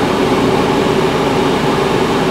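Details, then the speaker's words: 2011 Range Rover front AC blower on max, 81° outside, vent air dropping to 59.4°; steady, even rush of air with no whine, squeal or rattle; blower running normally. "let's crank it up and see put it on Max it is 81° this morning got to probably give it a minute it's blowing cold"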